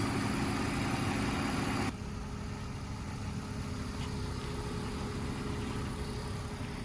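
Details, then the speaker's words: BMW with a 2.5-litre inline-six idles with a steady, even low hum, smooth and unbroken, with no knocks or misses; healthy idle. "But as you can hear, it sounds mint."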